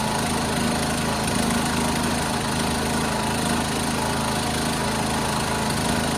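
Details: 1976 John Deere 300 with a binding starter, running after a hard start: a steady, even engine drone at constant speed with no misses, knocks or surging; running normally.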